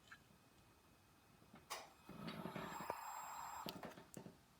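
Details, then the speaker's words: Laptop hard drive under test: soft whir climbs to steady high hum with a few light head clicks, then settles; normal spin-up, drive working. "sounds okay working pile"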